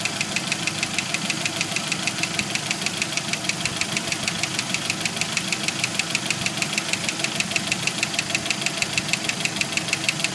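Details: 1991 Jeep Wrangler YJ 2.5L at idle: a sharp, even metallic knock about two per second that stops around 5 s in, then gradually returns. Owner suspects a broken piston skirt and failed lifters on cylinders #2 and #4.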